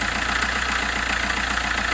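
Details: Diesel at idle with a quick rhythmic puffing tick over it and visible bubbles at a cracked exhaust section; owner suspects a blown joint or failed flexi pipe, cause unconfirmed.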